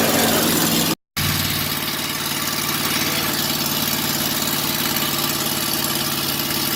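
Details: 1982 Ford 460 V8 in an RV, first start after sitting a long time, with a rebuilt carburettor: brief crank, then a steady, even idle with no misses, knocks or stumbles; normal idle.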